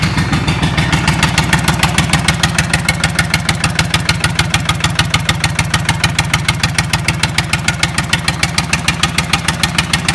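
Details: Lister Petter SR3 air-cooled diesel, start-up after rebuild: steady, even clatter at a fast idle with firm regular beats, no misses or knocks; normal idle.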